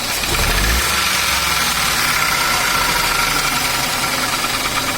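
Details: Ford Ka 3-cylinder engine running with a dry, fast metallic knocking over the idle; sounds like piston slap from a scored piston, oil pickup found clear.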